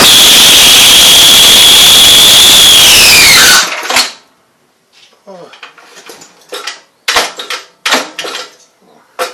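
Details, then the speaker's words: 5 HP Briggs & Stratton engine after carburetor replacement: loud, steady high screech over the running engine, dropping in pitch as it winds down, from debris built up on the clutch, which needs removing and cleaning. "so what that noise was the clutch I need to be taken off and claimed it was kind of gathering on there so that's what that loud screech noise was"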